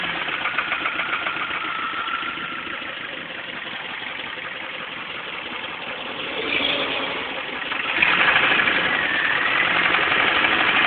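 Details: Engine knock in a Pontiac Sunfire that started while driving home: steady, fairly even ticking knock about three beats a second over the running engine, carrying through a revving surge; source unclear.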